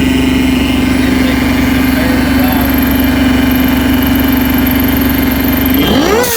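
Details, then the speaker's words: Phase 1 supercharger setup with a blow-off valve and an open filter on the intake pipe, still being tuned; loud steady high whine over the idle that sweeps up sharply on revs; normal supercharger whine, intake to be reworked. "i gotta rework this intake it's so loud i'll start it up for you right"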